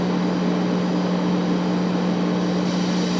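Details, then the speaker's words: Califone 3670AV-1 classroom listening center powered on, volume fully up: steady 60 Hz buzz at the output that remains when hiss is turned down; owner suspects it needs a capacitor set, possibly normal. "When I power this on, have a listen to the noise coming from the output. There's a 60 Hz buzzing and a lot of hissing."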